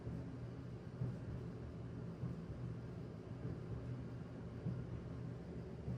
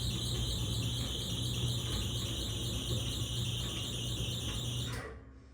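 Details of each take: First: Whirlpool/Maytag Bravos dryer, about 13–14 years old, after clearing lint buildup from the blower housing that caused squealing: low, steady drum rumble with soft thumps about once a second, no squeal; runs quietly and normally. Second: Whirlpool/Maytag Bravos dryer running: steady, piercing high squeal that dies with the motor; lint built up in the blower housing, quiet after cleaning it out.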